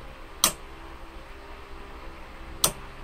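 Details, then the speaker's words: Mitsubishi 3000GT with Tesla motor swap: two sharp, crisp clicks about two seconds apart in a quiet room as the main contactor pulls in and drops out normally. "the main contactor doesn't have any of that it's just wired directly onto the switch hopefully"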